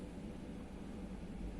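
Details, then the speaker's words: Brunvoll bow thruster running after PLC electronics repair following a 24 V DC overvoltage (burned trace and varistor replaced); steady even low rumble, no knocks, surges or grinding. Normal running. "о все работает отлично подруливающее устройство исправно"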